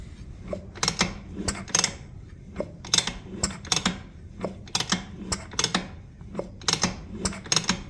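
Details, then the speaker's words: 1960s family Vespa (1974 tabs) sitting 52 years, turned over: slow, uneven clicking and ratcheting with no firing; no spark seen, spark issue suspected; fuel also overflowing from the fuel bowl; cranks but won't start. "So, we might also have some spark issues."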